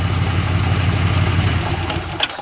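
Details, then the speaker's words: 1989 Pontiac Firebird barn find, sitting for years, fuel pump suspected dead, run on about half a cup of fuel poured in: rough lumpy idle for two seconds, then stumbles and stalls as fuel runs out; compression and spark confirmed. "yeah i'm pretty sure it's out of gas now so now that i know it actually runs it's got compression and spark and everything"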